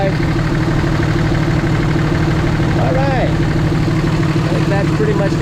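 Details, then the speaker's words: 2006 Ram with exhaust brake, fully warm, microphone in engine bay with oil filler cap removed: steady, even diesel clatter at idle with no puffing or pulsing from the filler; normal idle, no blow-by. "so it makes a little bit of a different sound sounds like a semi exhaust break right over there and of course I'll pull off the G too no blow"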